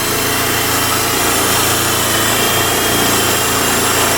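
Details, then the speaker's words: 1995 Eagle Summit DL wagon, freshly rebuilt 4G64 four-cylinder, just after fuel pump replacement, still on old fuel with the old fuel filter and the air filter off: it fired right up. Steady, even, buzzy idle with no stumble or misfire. Normal. "So I put the fuel pump back in, turned the key and she fired right up. I haven't even put new fuel in or fuel stabilizer or fuel injector cleaner. This makes me happy."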